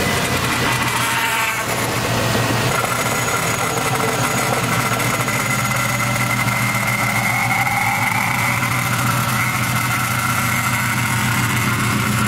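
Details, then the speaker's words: 2007 Chevy Impala 3.5 L V6 at idle just after replacing the power steering pump and pressure hose; thin high whine rising and wavering over engine hum, owner suspects air in the system, to be driven out: power steering pump whine. "all right so that noise that you hear is the supposed in a pump when it's nothing to have air in a system and make that Wow rapidly whatever you want to call this out"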